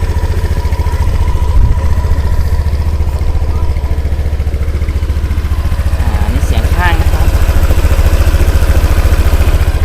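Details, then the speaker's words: 2017 Honda PCX scooter, idling: soft, even low putter with no ticks, rattles or misses and no white smoke; normal healthy idle. "เดี๋ยวเรามาลองฟังเสียงกันนะครับโอเคไปแล้วบางเสียงเดินเบากันนะครับไม่มีเสียงแตกปลอมนะครับเสียงนิ่มๆเลย"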